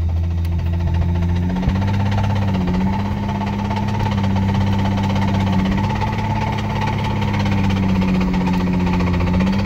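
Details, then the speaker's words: Toyota 1JZ inline-six, imported used from Japan (about 70k km, ran ~500 miles), idling heard from inside the car: steady heavy knock in time with engine; owner suspects serious rod knock, began after a few hard pulls. "imported from Japan it's got a very serious rod knock"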